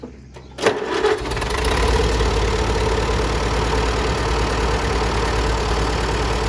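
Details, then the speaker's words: Grandpa's old tractor, sat about 20 years, magneto rebuilt: won't start on hand crank but electric starter cranks briefly, engine catches at once and settles into a steady, even idle; normal start and idle. "it won't start with the hand crank it did admit but it starts up dang diggity nice with the old electric"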